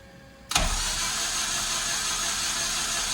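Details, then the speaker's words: Honda K24 engine after teardown for a knock, cranked with spark plugs out to build oil pressure (reached 20 psi): fast, even, free-spinning whir with no knocks or clatter; owner suspects the tune was rattling the VTC gear. "So it's gonna sound a little funny. But that's okay. We're just gonna build oil pressure and then try to hear if we can hear any kind of crazy noises."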